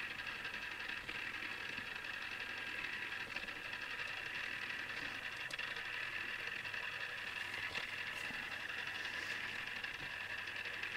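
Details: Newly assembled Tamiya Display Turntable Black on its first test spin at top speed. Faint, steady high-pitched whine from the small motor and gears. Owner dislikes the gear noise and may fix it later; cause undetermined.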